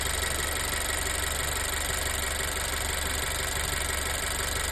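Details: Honda EarthDreams turbo GDI engine at idle just after adding 4 oz Motorkote to the oil: even, slightly coarse idle with a faint irregular tick; owner heard no ticking then, but it later returned; cause unclear.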